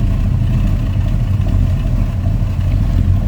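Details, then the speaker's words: 1953 Ford F100 short-box street rod with a 354 Chrysler Hemi and 200R4 automatic, shortly after a cold start, heard from the rear: a deep, even V8 idle burble from the tailpipe, smooth with no misses, not overly loud. Normal idle exhaust note. "You can hear that Hemi runs smooth and it sounds good. Slip around to the back. Nothing over the top. No crazy, super loud exhaust, anything like that."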